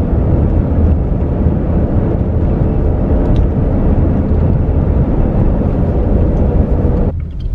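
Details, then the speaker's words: 2018 Subaru Crosstrek on BFGoodrich KO2 all-terrain tires and Method wheels, cabin at freeway speed: steady deep drone, louder than expected but even, no rubbing or rhythmic thump; normal all-terrain tread noise. "they're a little louder than I thought they were going to be especially on the freeway and I wanted to play this video for you guys this so you can hear how loud they were on the freeway"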